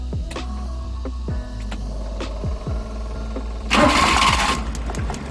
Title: Engine Cranks But Wont Start Suzuki F6A Multicab